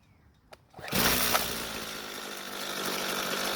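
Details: Jonsered two-stroke string trimmer, hot, after a slight carburetor fuel adjustment: quiet at first, then it catches and holds a steady high rev with no bogging or surging; normal running.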